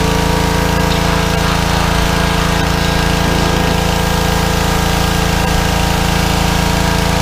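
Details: Small petrol engine on a fairly new pressure washer, after carburetor cleaning for suspected fuel starvation from dried ethanol gas (clogged bowl screw jet) following over a year sitting, steady drone at constant pitch, no misses or surging; normal running under load.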